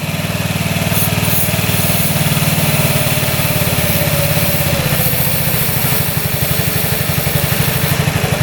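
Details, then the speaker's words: 2006 Honda Metropolitan two-stroke scooter: buzzy idle sags and shifts its beat when brake cleaner is sprayed at the loose carb intake boot, nearly stalling; unstable idle, suspected air leak at intake boot. "So, we can almost kill it. See? So, there's definitely an air leak right there. That could be the problem."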